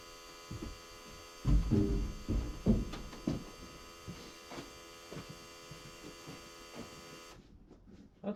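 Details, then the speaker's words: John Deere 7830 tractor at key-on, engine off, mic by the external VGT turbo actuator (a seized one was replaced; tractor was derating): a short burst of clicks and clunks, then faint hum as the ECU's travel test sweeps it, normal. "every time you cycle the key it's going to do a travel test on its own the ecu is going to do a travel test"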